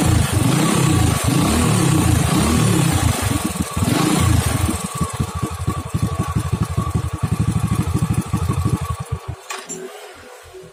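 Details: Honda Astrea Grand motorcycle with dead electric starter, spark plug refitted: engine catches on the starter and settles into a steady even idle; electric start fault traced to a faulty CDI, pulser coil fine.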